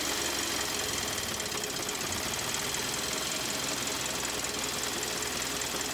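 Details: 2013 Kia Optima petrol engine running with a loud, rapid metallic knock, code P0014; dealer said drive until it fails, and the engine later failed and was replaced under warranty.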